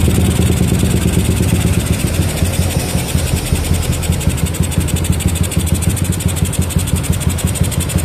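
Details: Yamaha Jupiter MX with a PE28 carburetor, tested after carb setting to cure hard starting: the small single runs with a steady, crisp beat and picks up cleanly without stumbling or popping; normal running and revving.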